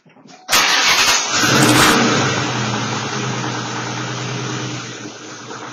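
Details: 2004 Ford Mustang engine starts and settles to a fast idle with a dull, uneven deeper tick underneath; the thin steady high tone is the microphone; source of the tick unknown.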